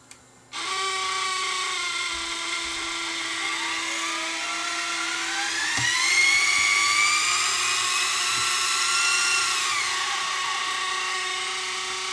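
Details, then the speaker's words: Sony DSR-11 DVCAM deck on full fast forward after tape-loading repair: high whining screech rising in pitch as tape winds up, then dropping away; owner reported loud noise in fast forward and rewind, likely dry capstan motor bearing — capstan motor bearing screech. "what is that horrible noise he said it makes lot made lots of noise and fast forward and Rewind"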